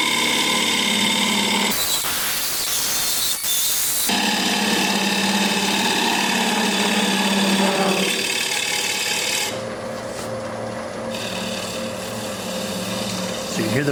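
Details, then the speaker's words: Rough fluttering chatter, about three or four per second, as a gouge hollows the inside of a 9-1/2 inch cherry bowl mounted on a lathe with hot melt glue instead of a four-jaw chuck; sounds worse than it is. "you wouldn't get that on a four jaw chest but with hot milk glue in a bowl this size it does somewhat it sounds a lot worse than it actually is"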